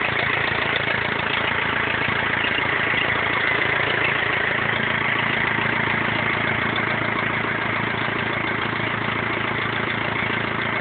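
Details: BMW E46 320d 150 hp diesel, first start after overhaul fixing swirl flap failure: steady even clatter, no knocks, misses or hunting; normal diesel idle.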